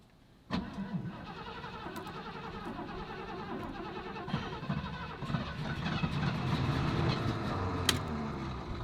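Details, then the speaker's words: 1986 Ford F250: starter spins steadily at about three or four beats a second but never catches; cranks without firing; crew suspects it needs fuel and a fuel line, and the ignition switch needs replacing. "see it tries to start when I turn the key all the way to the like starting position but it won't try and start okay so we need to get some fuel L yeah we need fuel line"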